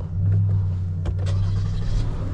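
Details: 2018 Toyota Sienna with replacement engine, after tightening a loose ground that caused a crank-no-start: steady, even low idle hum with a couple of light clicks, starts right up, no codes return; idles cleanly.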